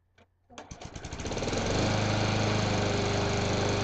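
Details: Craftsman lawn mower that would not start, after carburetor cleaning and rebuild kit: catches after a couple of pulls, quick even chuffing building to a steady smooth run with no misses; running normally.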